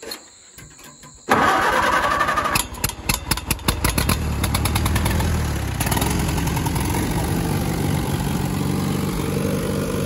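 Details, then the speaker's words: Grandpa's old tractor, fuel valve back on, key on, fuel pulled: a few seconds of uneven cranking chuffs, then it catches and settles into a steady, even run; normal start. "there she is i don't know why that's one of the most satisfying things i've ever started but it is"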